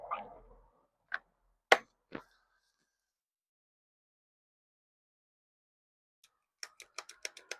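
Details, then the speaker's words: Cordless battery edger/string trimmer that won't run, after cleaning corroded battery terminals and fitting a charged battery: a few dry trigger clicks and light ticking, motor never spins; terminals weren't the cause, internal wiring, fuse or motor suspected. "Nada. Entonces el problema no eran las terminales sucias o mojosas."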